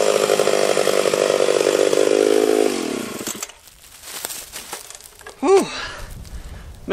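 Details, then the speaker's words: Freshly ported Stihl 031 AV chainsaw, 150 psi compression: strong steady high-revving buzz while cutting, then clean rev drop coming off the wood; running better than ever, like brand new; normal under load. "man this thing is running better than it ever has i swear to you that sounded it sounds perfect it sounds like brand new"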